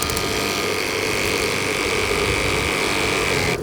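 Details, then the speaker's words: CAMPLUX portable propane tankless water heater with 12V pump: ticking ignition, then steady rushing roar with thin pump whine, dying away; normal burner light-off and running. "it actually I mean it's immediate you can hear it fire up and I'll show you um I'll let you guys hear what that sounds like but there's like this ticking sound that happens you can hear it ignite and it pushes out hot water immediately"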